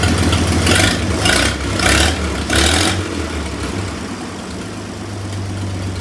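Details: 1926 Oakland running after 75 years off the road, with rebuilt generator and valves set near spec: even, steady idle with light throttle blips and no valve clatter; runs smoothly.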